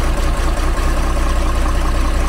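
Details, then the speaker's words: Magirus Deutz engine in a converted camper truck, after an oil change and reassembly following a suspect noise after hard mountain climbs (overheating suspected): deep, even diesel idle with no knocks or misses, running normally. "tourne comme une horloge. Bravo! Good! Ouais. Super soulagé, ça fonctionne, ça tourne bien."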